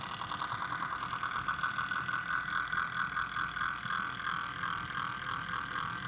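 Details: MSI GS30 laptop fan, model PAAD07010SH N263; fast, dry ratcheting buzz over the fan's airy hiss as it spins; cooling fan rattle.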